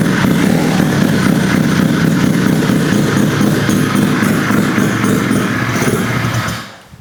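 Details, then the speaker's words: Rotary-swapped Honda QA50 minibike, started in three pulls after sitting six months: loud buzzy running holds steady for several seconds, then sags and dies because the fuel tap had been turned off, starving it. "It's not idling. Oh. What's gone wrong? Uh-oh. Did I turn the fuel off? I turned the fuel off before."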